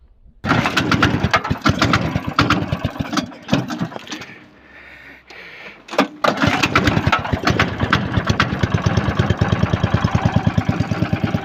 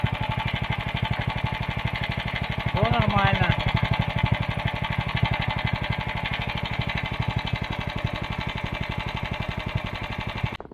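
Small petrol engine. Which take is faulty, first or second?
first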